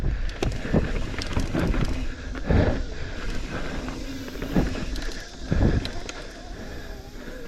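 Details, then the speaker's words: Loose bolt lost inside a carbon mountain bike frame rattles during a trail ride, giving irregular sharp clicks and rattles over trail and wind rumble that come with bumps; owner unsure how to get it out. "you hear that rattle it's a bolt that I lost in the middle of the bike and I don't know where it's at and it's a carbon bike so not really sure how to get that back out"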